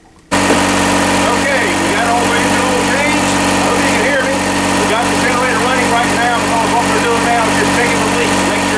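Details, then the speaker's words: 8 kW marine diesel generator aboard a boat, after oil and filter change: steady even drone at constant speed, no knocks, misses or surges; running fine without leaks. "okay we wrapped it up we've got the old change we had new leaks everything's running fine"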